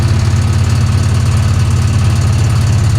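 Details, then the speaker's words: 1966 Chevy Impala V8, long-flooded car on its first highway drive in over 20 years, on the road: heavy rumble with uneven knocking about three a second, rough and rattly; cause unconfirmed. "Okay. Oh, it sounds so bad. So bad."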